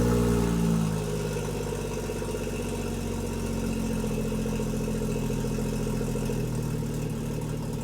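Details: BMW M240i with B58 engine after installing a catless VRSF downpipe: idle pulses unevenly about four beats a second with a wavering low hum; rough idle, cause unknown.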